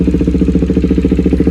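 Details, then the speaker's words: KTM Duke 390 exhaust at idle before welding: sharp, even puffing tick about ten a second over the engine, air leaking from the exhaust joint on both sides; fixed by welding. "तो बस वही हवा जो leak हो रही है ना उसको बस वेल्ड करवाना है।"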